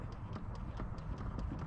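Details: 2018 Chrysler Pacifica: quick even tapping about four times a second under the dashboard, from a broken HVAC air inlet/blend door actuator (part 68164960AA), fixed by replacing it.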